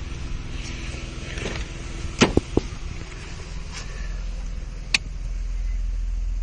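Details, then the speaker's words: Nissan Skyline, warm engine at tick over, recorded from the rear with exhaust valve/flap switched open: quiet, deep, even idle, deeper tone than with flap closed, a few handling clicks nearby; normal warm idle. "I'll open that switch up and see what it sounds like with it warm. Tick over, it is just a deeper sound."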